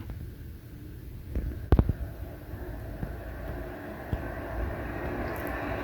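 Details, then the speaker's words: HP Z240 workstation at power-on; a steady, heavy roar of fans running flat out from startup with no speed change, not from overheating; fans stuck at full speed by a firmware glitch, cleared by unplugging power for 15 seconds. "we are preparing for takeoff boys and girls so you can hear how the fan is running wide open on this sounds like we're getting ready to take off"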